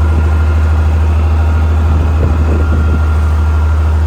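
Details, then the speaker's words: Salvage IH 1466 tractor, straight pipe exhaust, good oil pressure: deep steady diesel rumble with even firing and loud raw exhaust note; engine runs smooth and healthy, runs and drives. "But it runs and drives, so looks like it does pretty good oil pressure, so that's nice. Straight pipe, so you know, makes all the noises."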